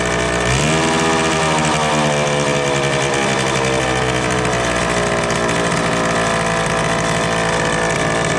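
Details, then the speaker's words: 1974 Indian ME100 two-stroke barn-find motorcycle, long sat, first start after cleanup: fires up and settles into a fast, buzzy, steady idle noticeably too high. "hey it runs so um it's idling a little high I'm going to work on that"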